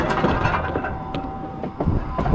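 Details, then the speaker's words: Oilfield pumping unit needing total rebuild: gearbox leaking badly, wrist pins jarring in and out, non-factory homemade tail bearing rattling, banging and popping with clicking; loose metallic rattle over heavy low rumble from worn tail bearing and wrist pins. "tail bearing this thing it's rattling they're banging it's been popping"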